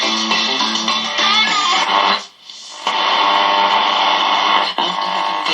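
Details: Kriesler 11-20 valve radio after motorboating repairs, new speaker and power transformer fitted: music and guitar come through clean and full with no hum or putt-putt motorboating; playing normally.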